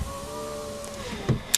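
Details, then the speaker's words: VX Commodore driver's power window after cleaning the intermittent window switch: a steady motor hum with slightly falling pitch for about a second, ending with a thump as the glass seats. The window works normally, though a bit slow. "driver's window goes all the way down yeah so you hear the clicking straight up straight down straight up"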